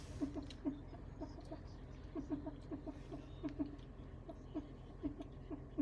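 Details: Second-generation Toyota Prius with an unexplained noise: quick squeaky chirps, about three a second at an uneven pace, over a faint low hum.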